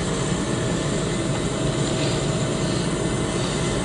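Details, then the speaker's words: Honda TRX250X barn-find engine, torn down and not running: a steady airy hiss of air rushing past the valve seats, with debris under both intake valves. The intake valves leak and need a valve job and reseating. "really they really don't look half bad they're obviously leaking right i was able you can hear the wind jet right by him"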